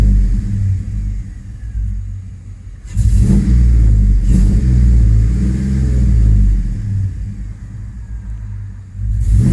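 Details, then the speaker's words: 2005 Chevrolet Tahoe 5.3L 4x4 with stalling and crank-no-start history and a new fuel pump. Giving throttle in reverse under load, the V8 rumble turns choppy and stumbling as headlights dim; misfire from a dropping crankshaft position signal. "guys when i go give a gas in reverse look at our headlights our headlights dimmed out and that thing starts misfiring"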